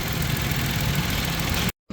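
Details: Mitsubishi Mirage engine after drive belt replacement and alternator tension adjustment settles into a smooth, steady idle with no squeal or chirp; front accessory drive sounds healthy.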